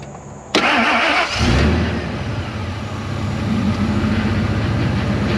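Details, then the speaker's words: 2000 Ford F250 2WD extended cab, first start attempt: starter cranks with a fast, light, even whirr and almost no compression chuffs; owner suspects stuck valves, unconfirmed. "um well it attempted to but it sure doesn't sound like it's got any compression at all so i don't know if valves are stuck or what"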